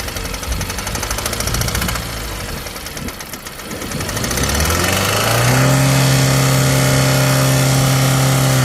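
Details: 2015 Jeep Compass 2.4L 4x4: rapid regular ticking about three and a half per second over a revving then steady engine; source of the tick not identified.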